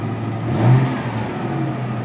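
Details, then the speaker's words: 1999 Toyota Tacoma 3.4 V6 after throttle position sensor replacement and throttle body removal, check engine light off: engine starts right up, quick rev rises smoothly and settles without stumble or miss; normal running. "I'm in the truck actually when I turned it on the um check engine light was already off I didn't have to clear it again which is nice truck started right up sounds like it's running"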